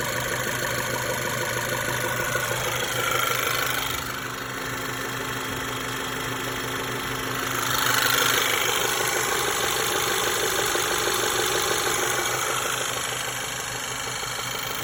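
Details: VW 1.8 TSI CDAB engine at idle: light ticking knock about three per second over a steady idle with faint whine; cam phaser vanes already replaced and chain judged fine, knock cause unknown.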